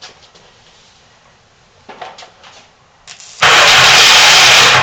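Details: Yamaha XS650 twin converted to turbocharged MegaSquirt fuel injection, oil leaking at the right cylinder, first start: light clicks as the fuel pump cycles, then a loud rough burst as it fires; engine cranking and first start.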